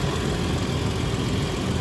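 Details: 1982 Ford Granada 2-door after fixing exhaust leaks: low, even idle rumble with no puffing or ticking; exhaust sounds sealed and quiet.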